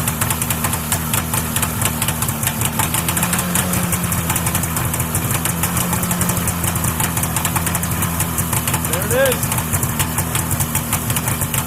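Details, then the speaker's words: 1979 Arctic Cat Jag 3000 340cc vintage two-stroke snowmobile, cold start after sitting with ice in the carb, about 10 pulls, fuel pump zip-tied on: fast, raspy idle with steady popping and one small blip. Runs solid. "Start it up. There she is, guys. I don't know, that was probably close to 10 pulls."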